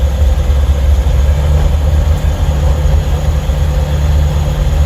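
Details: Ford 7.3 Powerstroke diesel van driving, phone near the engine cover (doghouse): a loose metallic rattle comes and goes under a heavy low drone and goes away when accelerating. The transmission also shifts a little strangely; source unknown.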